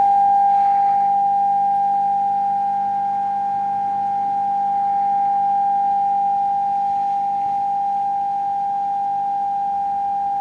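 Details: Vintage Radione WSH3 tube radio after repair, tested with an HF signal input: a pure, steady mid-pitched tone holds clean for ten seconds with no crackle, dropout or warble, so the set plays properly.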